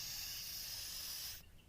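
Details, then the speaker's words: Zenith carburetor from a Massey Ferguson tractor, bench repair: soft steady airy hiss as air is blown through the open needle valve, which then drops away; closed, the needle valve passes no air. "when the needle valve is open you can definitely hear air flow like"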